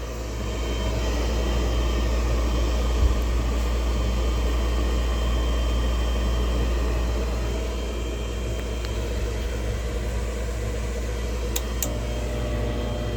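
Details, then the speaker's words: York gas furnace after replacing noisy blower motor and filter: smooth even low rumble of moving air, no scraping, thumping or wobble; blower runs quiet and healthy. "she's buring like a kitten that's what we want"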